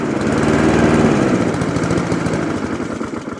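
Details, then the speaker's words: Alco Silva 520 BR lawnmower after cable repair, not run for about a year and only briefly running: uneven chugging, beat stumbling and sagging; may want carburettor work; rough running. "we may just have to adjust adjust that but hear that noise and might want a bit carburetor work mate it's been a year typical"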